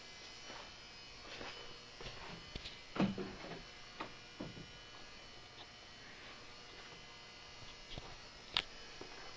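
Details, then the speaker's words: Old 400 W Hubbell metal halide lamp at start-up warming from dim to bright: faint, steady ballast/transformer hum at an even pitch, with a few stray clicks. Normal ballast hum. "the buzzing sound you hear is the ballast resistance to Transformer buzzing away"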